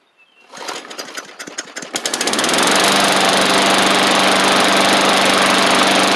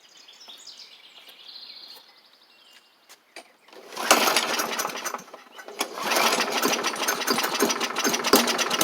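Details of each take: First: Bolens push mower, Briggs & Stratton Classic engine after repairs including carb kit: coughs and catches, then steady even buzz with no misses; runs great, maybe slight water from washing. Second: Bolens push mower with Briggs & Stratton Classic engine, first start after carb diaphragm check: fires up and runs ragged, rising and sagging unevenly; owner thinks water remains in the fuel, carb diaphragm still needs replacing.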